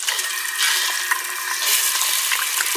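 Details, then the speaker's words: Water tap on a 200-foot well system with underground pump (20 gallons a minute), pump just turned off but pressure remains: tap sputters and spits uneven bursts of water and air; air being drawn into the line through a leak. "air gets in the line. Not doing it so much now, but I mean it'll really spit at you, boy."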